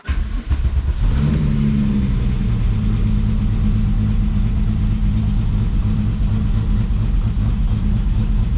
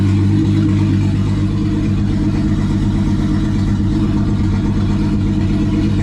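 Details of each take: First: VW VR6 after final assembly with new exhaust, cold start: engine catches into low, slightly uneven lumpy cold idle; running rich because temporary intake piping was removed, oxygen sensor just starting to kick in. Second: Rebuilt turbo VR6 with an open throttle body tied together to get it to idle: low, even rumble that settles toward idle without stumbling, engine now running smoothly.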